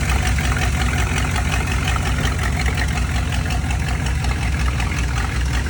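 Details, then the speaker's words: Old GMC pickup V8 after new ignition parts including coil: deep even rumble holding steady idle without stumbling or dying; hopefully fixed; steady idle. "Well, she stayed running a little bit there. Hopefully that fixed the problem."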